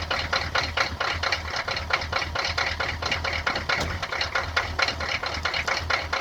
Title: Rusty &Trusty 6.2 Diesel cold start and rough idle